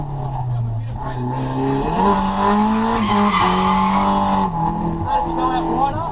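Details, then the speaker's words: Drift car with CA engine at 140 kW after dyno retune and new fuel pump, revving to redline on track: engine note climbs cleanly and holds strong over tyre squeal, no stumble or misfire; runs healthy. "And as you can hear, the car sounds so much more happy with the uh with the new fuel pump and that retune. It was just on song."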